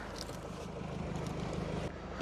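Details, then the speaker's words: Mercedes that cranked but would not start, fixed by replacing a blown 15 A fuel pump fuse and a loose 25 A fuse, then clearing codes. Quiet, steady idle with an even low hum and no misses or knocks. Normal idle. "And all the faults have disappeared and the car is actually running perfectly."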